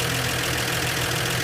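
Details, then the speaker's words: 1961 Chevy truck idling after new spark plugs replaced very old AC Delco plugs: steady, even low rumble with no misses or knocks. It now starts easily without choke or gas and sounds much the same at idle. Normal idle. "it's running a lot better I mean out of the same it don't sound much different idling"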